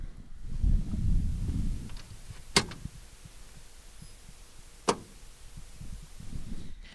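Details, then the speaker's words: 24-volt Chevrolet CUCV military truck on a cold day, stone-cold diesel, microphone up under the dash near the firewall relay: two sharp relay clicks about two seconds apart; glow plug relay short-cycles, glow plugs on too briefly to start the engine. "that was a very short cycle turning the glow plugs on for that brief amount of time will never start this engine"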